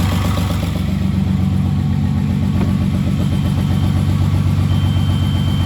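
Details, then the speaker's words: Rebuilt VW VR6 engine, first start after installation with new coolant transfer (crack) pipe: low, steady idle with a faint rhythmic chug about every second, slightly uneven; owner suspects a missed vacuum line, cause not confirmed. "He's chugging a little bit. Maybe I missed the vacuum line."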